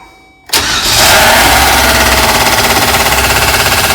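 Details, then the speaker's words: 4.3L Vortec with P0301 crank-no-start, after distributor reset 180° for suspected timing error, fires and settles into a harsh rapid slapping rattle; exhaust leak first suspected, likely loose, not-fastened plastic shroud hitting. "yeah this doesn't sound good yeah I think it's hitting this shroud I don't have this down all the way um it's hitting something maybe just hitting this"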